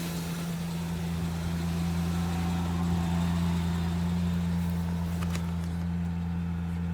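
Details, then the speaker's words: 2000 Ford Ranger XLT revived after long sitting on a farm, engine reportedly replaced about a year before the previous owner's passing, started after disarming alarm: deep, even idle hum with steady drone, no knocks, misses or surges; normal idle. "It's running really good though. Yeah. That sounds pretty good for being sitting for so long."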